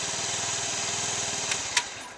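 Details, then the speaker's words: Honda Metropolitan scooter after fuel pump and fuel filter replacement, fuel pump ticking gone: small engine patters evenly with no ticking, then shuts off with a couple of clicks; normal idle. "I'm real happy about it man no more noise it"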